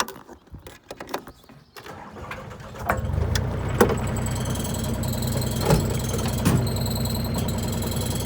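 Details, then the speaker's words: John Deere 35D mini excavator with AGT flail mower on startup: loose irregular metallic clanks as the rotor turns slowly, then steady engine drone; the flail knives dropping when no longer held out by centrifugal force, normal. "all right so that's sound there that that clanky Clank that was the knives dropping you know when they're no longer spinning from cental force"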